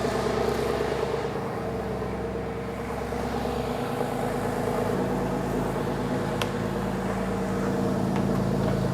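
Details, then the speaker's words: Porsche 911 (996) after a water pump replacement (the old pump's pulley wobbled and rattled): smooth, even idle with no knocks or ticks and no leaks; the fans won't come on, possibly because it is too cold outside. "No leaks, runs good. I can't get the fans to kick on right now. I think it's just too cold outside."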